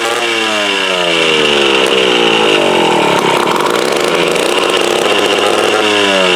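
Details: Mid-1950s Strunk Speed Demon chainsaw (likely the Pro, 24" bar) with bar and chain off, run after sitting unused since the early 70s. High, buzzy two-stroke note surges and sags unevenly. Carb needs a rebuild kit, tank dirty, ignition good.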